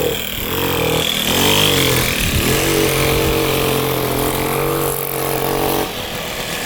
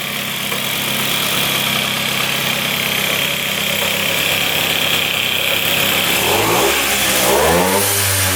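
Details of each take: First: 1978 Puch two-stroke moped ridden uphill: the drone sags and struggles to pick up revs, flat and boggy. The owner suspects a partially clogged exhaust pipe; later the pipe was found packed with carbon. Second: 1978 Austrian Puch two-stroke moped, first start in 37 years after a spray of gas: buzzes steadily at a fast idle, then revs up and down cleanly and quickly after clearing out, sounding healthy.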